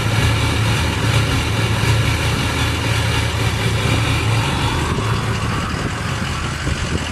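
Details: Ford 6.0 Powerstroke diesel at idle with a bad injector; rough idle with an uneven stumbling beat about four a second instead of a smooth clatter.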